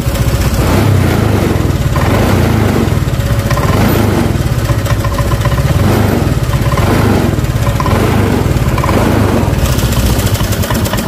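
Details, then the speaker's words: Honda Vario Techno 125 scooter with cold stuttering, before throttle body cleaning: steady even putter whose idle speed rises gradually as the throttle position sensor is shifted downward, then stalls. "Kita geser ke bawah. Nah itu gasnya tambah naik."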